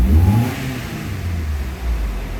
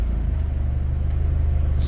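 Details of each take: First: Mitsubishi Galant Shark automatic, before throttle body cleaning, aircon on: rev dips about 500 rpm in drive and reverse, then idles low and slightly uneven with shaking; dirty throttle body suspected. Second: Mitsubishi Galant Shark automatic, idling with aircon on, in reverse with the brake held. A steady, even low thrum with no shake. In drive there is only slight, reduced shaking: smooth idle in gear.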